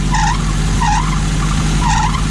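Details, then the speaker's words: 2000 Nissan Frontier idling with sharp high chirping squeals about once a second: loose serpentine belt slipping. "as you can hear and have a really bad squeak to it so I need to figure out what's causing that sweet"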